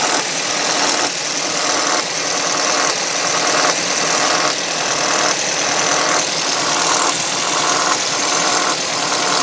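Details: 2005 Audi A3 2.0 FSI at cold start: a loud, sharp clattering tick in uneven bursts about once a second, lasting about three minutes before a normal injector sound. Owner suspects the tensioner, unconfirmed. Loud ticking on cold start.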